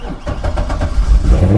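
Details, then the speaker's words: Camaro SS V8 listed as non-runner: brief crank, then catches and settles into a steady even low rumble with no misses or knocks; starts and runs fine. "ah it runs yeah she runs and it's listed as a non-runner how about that"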